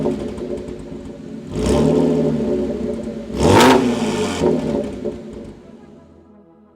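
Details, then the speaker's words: Cheap, abandoned Audi S5 with 3.0 L supercharged engine, running at length after timing chain and valve cover work; two clean blips rise and fall over steady idle, no knock, rattle or hesitation; smoke from valve covers believed to be burn-off; normal revving. "car has been roaring for quite a long time and it sounds so incredibly good"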